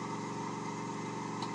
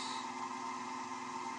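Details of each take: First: Lathe turning an oddball workpiece mounted off centre, sped up until a low throbbing rumble pulses under the steady motor hum; the speed is too high for the imbalance, so it must be slowed until the noise disappears. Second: Wood lathe turning an eccentric, off-centre workpiece after being slowed until the rumbling stopped: an even, steady hum with a mild midrange tone and no rumble or thumping. Finding: lathe running smoothly at this speed.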